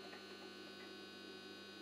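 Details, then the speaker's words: Bench power supply powering a repaired Rockford Fosgate Punch 225.2 amplifier (circa 1998-99) in a 4-ohm power test: steady, even electrical hum with faint buzz; normal under load. "my power supply will make some noise i just start and by putting up the remote cable to the amplifier"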